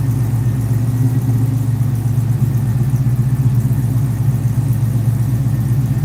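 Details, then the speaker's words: Firebird with a stock LS3 and two-chamber Hooker mufflers on a cold start: deep, steady low rumble with an even beat and no knocks or ticks; a normal cold idle. "Not bad for a Doesn't sound bad for a stock LS3, right? Hooker mufflers is what's on here."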